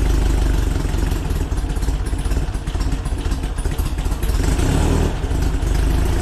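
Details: VW Split Bus air-cooled flat-four upgraded from 1904cc to 1968cc (92 thick walls, SuperStock 37/32 heads, Weber carbs), freshly installed: steady, even idle with a throaty exhaust beat and no knocks or misses; the engine sounds healthy.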